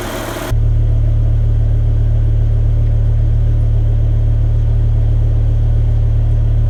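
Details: BMW E60 M5, S85 V10 (507 hp) with SMG 7-speed, warmed up, engine and exhaust sampled for comparison with loud cold start: deep steady low rumble, even smooth beat, nothing rattling; V10 idling cleanly.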